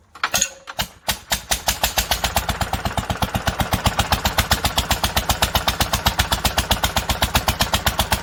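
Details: 1946 International Harvester LBB 3-5 hp water-cooled engine, first cold start using the choke: a few sputtering pops, then it catches and settles into crisp, regular firing near four beats a second; a healthy start.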